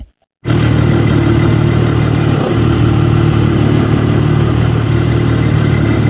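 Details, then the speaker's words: Loud steady engine drone at constant speed with a coarse uneven rattle; an aggregate switched off around 10 seconds in changes the rattle's dominance a lot; cause not pinned down. "the dominance of this aggregat that was switched off at 10 seconds and the dominance of this sound let's say the rattling um changes a lot"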